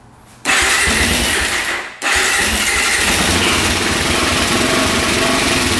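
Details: 2004 Suzuki LTZ400 quad after carburetor cleaning and fresh fuel: fires on choke, stumbles, catches and settles to fast idle; afterwards it shut off until idle was turned up, throttle set a bit low; no smoke.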